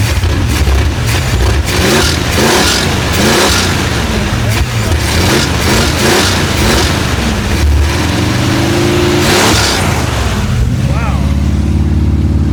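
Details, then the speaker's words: Abandoned, unfinished Chevrolet C10 project V8 with no exhaust fitted, oil pressure coming up; loud, raw blips rising crisply and dropping back to settled idle; healthy, strong runner. "Yes. Sounds healthy, man. This thing sounds good."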